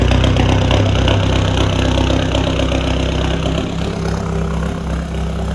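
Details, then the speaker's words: Remapped VW Caddy 2K diesel idling just after its first start with a replacement GTB1756VK hybrid turbo, new box and 4-inch roll tip: loud, deep, booming exhaust with a fast steady chug and no muffling. Loud straight-pipe exhaust at idle. "let's get away from that that is noisy"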